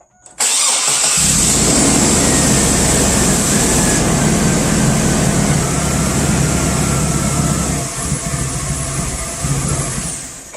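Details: 2001 Chevy Blazer petrol engine cranks, catches and settles into an uneven, loping idle after cleaning the mass airflow sensor; rough idle not fixed, MAF sensor replacement planned.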